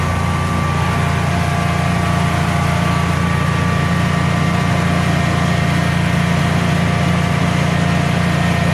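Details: Generac Guardian 16kW standby generator, refurbished after exploded battery, running on gas under close to 6,000 W heater load: steady even drone, constant low pitch, no hunting or stumbling; didn't even hesitate, healthy.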